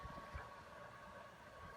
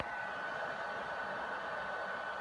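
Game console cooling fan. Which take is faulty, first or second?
second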